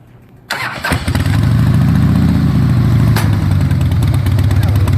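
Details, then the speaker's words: 2003 Harley-Davidson Softail Standard after changing engine oil, transmission fluid (75W-90) and primary fluid: engine at lumpy idle, then a soft clunk engaging first gear, much quieter than before the change. "and now we're gonna start it up and we'll see if it makes that clunk when he first puts it in first gear"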